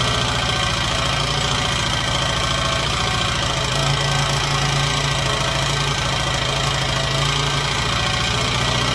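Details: Honda XR80 single with no-compression problem and bad rockers: quick light ticking about four a second over idle, rocker slapping from loose valve clearance.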